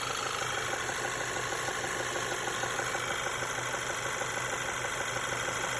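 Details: Audi/VW 1.8 TSI (CDAB) engine at idle: light, fairly regular tapping about three per second over a steady idle; source of the knock unclear, cam phaser vanes already replaced and timing chain reported fine.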